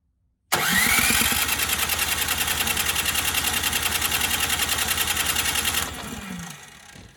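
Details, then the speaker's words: Ariens 920021 snowblower, first start of the season, primed with the fuel on after the carburetor bowl was drained of old fuel: the starter churns at about three turns per second for five seconds without catching; cranks but won't start, carburetor suspected. "So it won't start up again."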